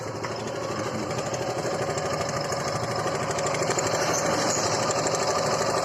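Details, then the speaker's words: Suzuki Gixer motorcycle, mic close to engine at idle: loud metallic clatter on every beat, about three a second; timing chain rattle, timing chain tensioner to be opened next. "तो engine sound आप लोगों ने सुना कितनी भयंकर आवाज कर रही है बहुत ज्यादा ऐसा लग रहा है कोई चीज लड़ रहा है बहुत ज्यादा आवाज कर रही हूं"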